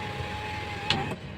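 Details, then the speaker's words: Mazda 6 after its no-power, no-crank, no-start fault was fixed: the sunroof motor gives a steady, even whir for about a second opening and closing, then stops cleanly; the sunroof works normally. "gumagana din yung kanyang sunroof yan up down to buksan natin siya aan bumubukas din balik natin bumubukas"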